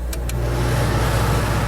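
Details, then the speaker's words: Xplorer van AC on generator power, set to low cool: a couple of light clicks, then a steady low hum settles in under the fan as the compressor kicks on; it runs well and the air turns cold. "we're gonna feel if this thing gets cold I hear the compressor running really good and I feel the air getting cold"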